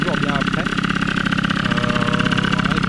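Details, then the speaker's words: MBK Magnum XR moped two-stroke, after fitting a C. Bouchet intake pipe: busy, even putter at steady idle, about three pulses a second, no hunting or sputtering; started first try, normal idle. "Bon bah écoutez, ça a démarré au quart de tour, hein. Sans surprise, elle démarrait bien avant,"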